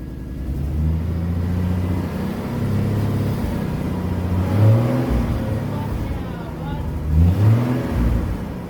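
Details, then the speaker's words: Ford project car after shock mount and fuel tank repair: smooth idle with a couple of clean throttle blips, pitch rising and falling evenly, no knocks or misfires; owner says it sounds mint, healthy engine. "she sounds mint alright guys well see if she idols she sounds like she's idling good now"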